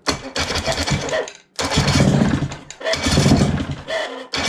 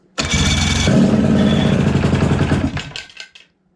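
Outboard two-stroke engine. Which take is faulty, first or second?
second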